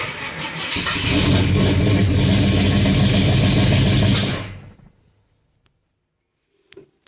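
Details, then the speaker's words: XC Ford Falcon 351 Cleveland V8 after MSD Pro-Billet distributor install: cranks and catches into a loud, lumpy, uneven run for a few seconds, then shuts off; owner thinks timing is out. Rough running. "timing sounds like it's out nothing's Catching Fire that's quite warm"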